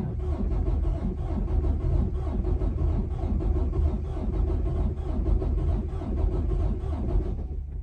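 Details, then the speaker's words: Diesel truck with 706,000 miles, fault code SPN 1328 FMI 31 for injector 6, during a software compression test: long crank with no start and uneven beat, one stroke weak; zero compression in cylinder 6, cylinders 4 and 5 also low; improved by valve adjustment. Low compression. "look at that we have zero compression in number six"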